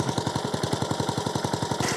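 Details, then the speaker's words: Vintage lawnmower after new cutting-drum bearings shimmed into worn bearing blocks, following an earlier carburettor replacement and clutch repair, warming after a cold start: the small engine beats steadily with the drum spinning. The earlier grinding noise is gone. "it's uh it's a hell of a lot quieter than what it was the drum is spinning now and yeah it's not giving that whole grinding grating noise"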